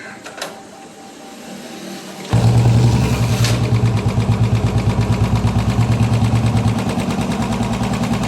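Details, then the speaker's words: Royal Enfield BS6 single-cylinder bike starts and idles with a light, fast top-end tick; hydraulic tappet noise from low oil. "ഇത് oil ആയിട്ട് base ചെയ്തിട്ടാണ് tappet hydraulic work ചെയ്യുന്നതെന്നും അത് oil മാറ്റാൻ വഴി കഴിഞ്ഞാൽ oil കുറഞ്ഞു കഴിഞ്ഞാണ് ടാപ്പറ്റ് നോയ്സ് ഉണ്ടാവുക"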